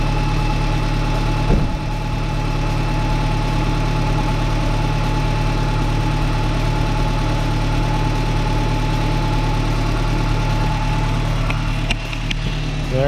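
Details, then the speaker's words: Roughly 30-year-old four-cylinder after fixing a loose Weber carburetor that had been fitted without thread locker: steady, even, low smooth idle with no stumbling or hunting; normal idle. "guys get away here from the engine noise a little bit so far so good sounds like she's purring like a kitten as good as i expect this 30 old engine to do"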